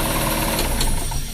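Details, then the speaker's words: Daihatsu Grand Max with a rough engine, in neutral and revved: quick light tek-tek ticking from inside the engine; to be dismantled, cleaned and measured to find worn or damaged parts. "Nah kayak gini teman-teman suaranya nih kalau digas nah nah kedengaran kan tek tek tek tek tek gitu"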